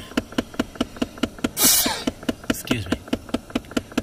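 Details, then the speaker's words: 2008 Dodge Avenger, key on, A/C on, engine need not run: sharp even ticks about twice a second behind the glove box when the recirculation door closes; slipping air recirculation (blend door) actuator. "I'm gonna push this so that we can get outside air. See, when I push that, I'm gonna push it again. So it close. And that's when the ticking"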